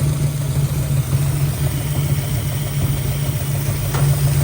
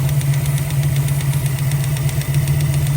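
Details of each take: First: 1965 Mustang 289 V8 after oil was restored to all rocker arms to cure a lifter tick; starts right up into a steady, deep idle with no top-end tick; normal idle. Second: 1965 Mustang 289 V8 at idle: fast, even light ticking over the steady rumble, clearly separate from it; valve train tick from loose rockers, valves needing lash adjustment.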